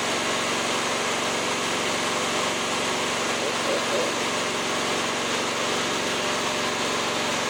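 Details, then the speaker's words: Cub Cadet ZT1 54-inch mower, small twin run with the deck off: an uneven, stumbling beat with one cylinder dead. The plug on one side isn't burning, and the misfire is confirmed as a failed ignition coil. "my buddy Ronnie came by and he even said it sounds like a coil misfire and I kind of agreed with him"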